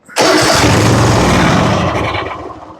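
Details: Gravely zero-turn mower, Kohler 7000 series engine, under 100 hours, after refitting a used main jet in the carburetor; starter churns at a fast uneven pace with no firing because the carburetor has not yet filled with fuel. Cranking, no start.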